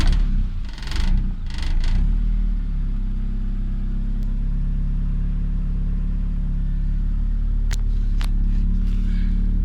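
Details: Honda B20 VTEC after a no-start fault: fires up then holds smooth steady low rumble at idle, no miss or hunting; engine running healthy.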